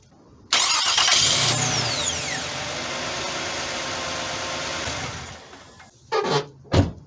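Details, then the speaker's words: 2011 Toyota Sienna after replacing the starter for a no-crank no-start, battery reconnected: starter spins briefly, engine catches at once and settles into a smooth steady idle before shutting off; normal start after repair. "all right the engine started with no problem"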